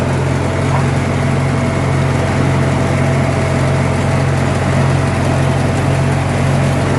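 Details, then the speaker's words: Antique Farmall 400 tractor running after fresh antifreeze, taken for a short shake-down drive: a steady even low thrum with a smooth regular beat and no knocks or skips. Runs good, just needs TLC. Normal running. "good, runs good. Just needs TLC. Sometimes these old machines, that's all they need."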